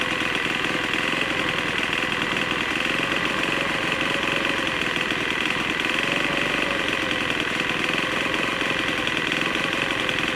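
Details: Troy-Bilt TB4HB EC four-stroke leaf blower, unstarted 4–5 years after being put away running poorly; just started on full choke after priming: uneven, ragged fast-idle buzz, running really rough. Air breather found loaded with oil via crankcase overflow tube; compression suspected leaking past rings.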